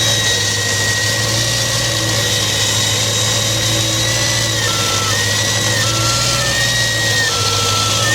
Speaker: Ever wonder what a vacuum leak sounds like? Here goes.